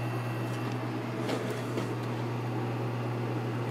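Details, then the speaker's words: Lakewood P223 first-generation fan with a Westinghouse motor, run unloaded on high before cleaning and oiling; dusty but spins freely. A steady, even hum and airy rush with no ticks or wobble; it runs smooth and quiet. "oh the motor runs smooth and it's quiet so I think it's in pretty good shape"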